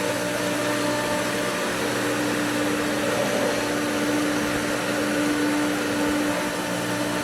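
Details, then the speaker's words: Pool pump at spring opening while skimmers are opened on winterized, air-filled lines: steady motor hum with a hissy, airy rush, tone dropping out near the end as it sucks air and loses prime again. "it lost it again. Maybe good enough that we lost it completely."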